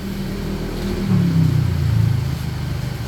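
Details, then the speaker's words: 2015 Nissan Almera petrol engine idling smoothly with a brief light rev after replacing the alternator bearing; the earlier high-pitched whine and grinding are gone, no whine, rumble or grinding. "Napalitan na natin siya ng alternator bearing Ayan tingnan niyo wala ng ingay wala na ring garalgal"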